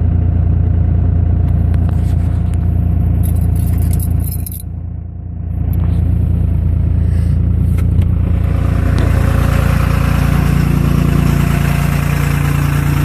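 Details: Second-gen 24-valve diesel held at high idle with lumpy, uneven low throb instead of smooth hum, as if some cylinders aren't pulling; rough running, cause suspected, not confirmed.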